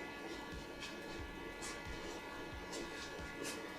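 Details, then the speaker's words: YAXO Xeno Frost Xbox Series X/S stand with 4000 RPM fan, on/off only, no modes, just powered up: steady airy hum with constant high whine; normal but fairly loud fan. "That's what it sounds like. So, it's not the quietest. It operates on an on/ off basis."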